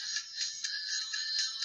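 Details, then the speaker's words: Car speaker connected to the head unit playing a CD, one of a pair where one works and one doesn't: music thin, tinny and hissy with no bass, very weak; faulty speaker, to be replaced. "Connection दे के वहाँ से screen चल रही है, CD है वो चल रही है, और अभी ये आवाज़ स्लो है बहुत,"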